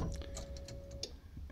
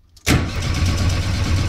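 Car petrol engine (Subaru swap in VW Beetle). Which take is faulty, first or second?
second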